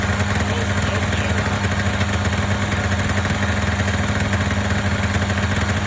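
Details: Polaris Indy 500 two-stroke snowmobile after used-parts top-end rebuild (head gasket failure, no compression on one cylinder): steady crisp unbroken idle burble, no knocking or missed beats — normal idle.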